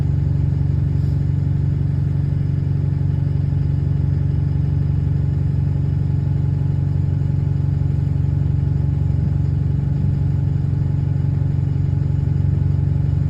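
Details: Diesel bus 36545 on route 314, recorded riding on board: a steady low idle with an even puffing rhythm around 200 a minute and a faint tick under the rumble; exhaust leak.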